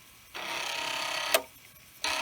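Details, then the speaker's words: Commodore 1541 floppy drive running an endless track 1–35 head-seek test after head cleaning: buzzy rasping seek ending in a sharp clunk each pass; reads and writes now pass but the clunk persists. "i still hear that clunk i think this is working better because it is now reading and writing and reading and writing reading and writing and everything seems to be fine but i still i don't like that clunk noise"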